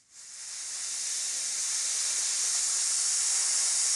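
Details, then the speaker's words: Leak-down tester demonstration before testing a Yamaha YZ250F engine after valve adjustment: simulated small leak gives a steady sharp hiss of escaping compressed air that builds then holds even. "now i'm going to simulate a little bit of a lick a leak and you're gonna hear that noise the hissing"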